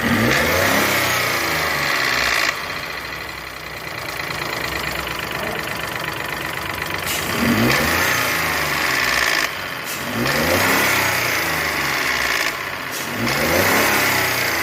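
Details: Renault Sandero/Logan 12V three-cylinder engine with a rattling knock over the running, rising and falling as it revs up and drops back; cause unclear; abnormal engine noise.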